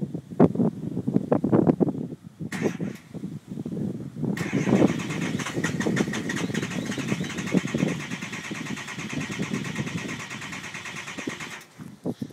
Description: Truck won't fire.